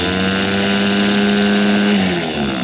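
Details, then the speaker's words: Toyota Stout with 3R engine starter: starter whirs steadily at high pitch then winds down with no engagement; sticky Bendix pinion gear not staying out to mesh with flywheel. "It's not staying out. I think what's happening is that this right here, you call this a bendex or pinion gear."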